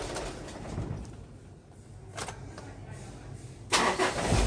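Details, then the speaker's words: Warm restart right after switching off, on an engine reported hard to start in the mornings with heavy cranking: brief crank, then catches at once into a steady idle; suspected failing battery cell rather than the starter motor. "Bismillah. Nah tuh kan, langsung bisa ya."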